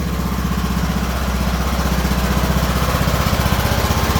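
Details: Craftsman riding mower with a Briggs & Stratton OHV single-cylinder, after replacing the camshaft whose decompression flyweight was missing and setting the valves at 0.005: steady, even thumping with no knocks or misses. The engine runs healthy.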